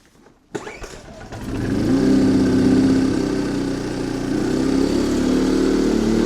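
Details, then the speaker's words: Yamaha 2000 generator with the low-oil alert switch wire unplugged to stop it shutting down: pull start catches quickly, revs climb smoothly, then it holds a steady, even drone under light load. Runs well and makes power. "running looks like this thing runs well it makes power I mean it cost me 40 bucks really can't complain about that"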